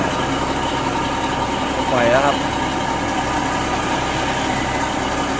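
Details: Engine after repair of a failed turbo whose shaft wobbled and gave white smoke and lost power: steady, even idle with smooth mid-pitched hum, no knocks, rattles or whistle; running normally.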